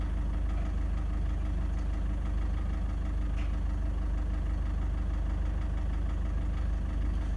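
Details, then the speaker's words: Toyota Prado 150 1KD diesel, fairly cold, recorded inside with door open; steady heavy knock about three a second at idle after light rev, erratic injection periods point to faulty injectors, risk of cracked pistons. "Anyway, can you hear that knock at"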